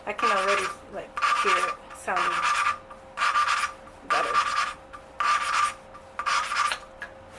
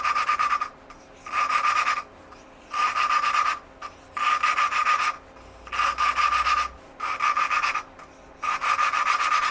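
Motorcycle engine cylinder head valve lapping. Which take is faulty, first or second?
second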